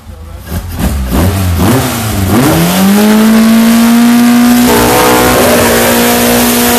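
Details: Ford SOHC 2.0 Pinto in a Sierra-based kit car with twin Weber 40 DCOE 151 carbs: clean rev to a steady, even high rpm with no stumble or misfire after balancing with an airflow meter to 5 kg/h per cylinder.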